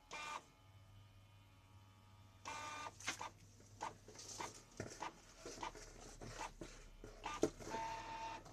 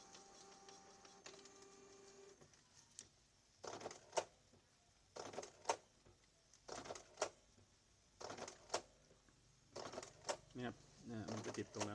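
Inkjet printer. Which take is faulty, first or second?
first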